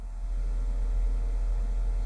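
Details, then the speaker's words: Ford Flex front passenger seat massage feature, after the seats were removed and refitted: the air pump gives a low constant buzzing hum that never strains or changes pitch as it fills; the massage bladder has burst. "all right so driver's side is working all right now let's see passenger side cuz that's the bag that I messed up like I can't tell yeah it sounds like that Peg burst"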